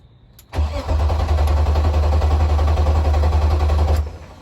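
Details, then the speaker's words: BMW E36, car raised in neutral, checking a fuel line for leaks; steady low starter cranking for about three seconds with no firing, as fuel pressure bled from the line must rebuild. "It's just got to build up fuel. It got to build up pressure because it kicked it all out of the line."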